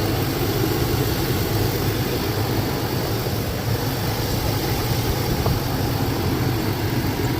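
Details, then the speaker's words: 2002 Chevrolet Tahoe whose wiring harness was chewed by squirrels, running: steady, even idle with a smooth low rumble and no knocks, misses or squeals; the check engine light did not come back on. Normal idle. "Sound like it's supposed to sound. Now I know."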